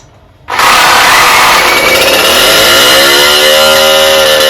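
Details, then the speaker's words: Rebuilt two-stroke cyclo (moped) engine after swapping the likely clogged original exhaust for another: sharp, buzzy note screams straight up to high revs and holds steady, now revving freely; the exhaust was the only difference. "Bon, je pense que vous voyez la différence. Hein. Il prend ses tours. Et quelle est la seule différence? Le pot d'échappement."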